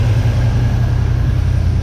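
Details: 1979 Chevy C10 squarebody engine after sitting 10+ years, belt refitted, water pump turning and coolant flowing, heat cycling: deep, steady rumble of a big engine idling smoothly, no knocking, lifter noise or belt noise; motor judged good.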